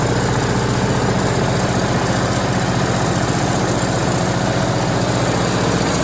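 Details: MEP-802A diesel generator bought at auction, after fixing no-fuel fault by unplugging fuel level switch; warm, a little over 160 on temp; steady low diesel drone, even unchanging beat, no knocks or hunting; running healthy.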